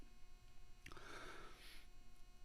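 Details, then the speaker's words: Constant low electrical hum or buzz under a quiet room, unchanging over time; electrical interference noise. "i can hear that noise right now like right now but because it's such an ob it's such a regular thing in my room i don't i've blocked it out i've tuned it out but it's also it's electrical noise"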